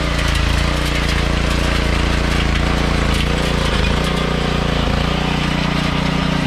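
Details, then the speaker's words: Troybilt Pony tiller, 5 hp Briggs & Stratton, after carburetor jet cleared with copper wire: even, steady low thump at constant speed, no misses or surging; running smoothly. "finally got our pony back out of the stable and she works all right"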